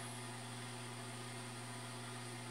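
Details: Newly bought automatic chicken-egg incubator on its first live test, temperature-controlled, reading about 29–30 °C; smooth steady low hum with no wavering, knocking or scraping, the fan running normally.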